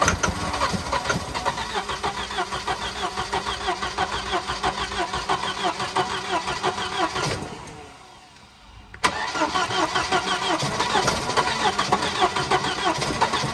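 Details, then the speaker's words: Wrecked, T-boned Volvo 240 with previously stuck B230 engine, after a fried coil was replaced: uneven, lumpy firing that sags and dies for a second before catching again; rough running, suspected fuel starvation, it's not getting enough fuel. "Well, it wants to run. This thing jumps around a lot."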